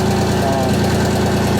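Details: Miller 400D engine-driven welder running after reassembly with output voltage being adjusted (about 32 V at idle): steady, even engine drone, constant low hum, no knocks or surging; healthy.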